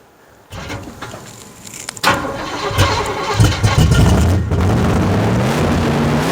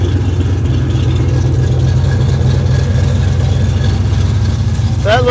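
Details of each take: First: 1972 Chevelle rescued from a field, first crank after sitting: several cranks and coughs, then it catches and runs high and steady, never settling to idle. The throttle is stuck open. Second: 1972 Chevrolet Chevelle V8 rescued from farm field, alternator giving 14 volts, 50 lb oil pressure, 6.5 lb fuel pressure, minor leak; deep, steady rumble at even idle, no misses, knocks or ticks; normal idle.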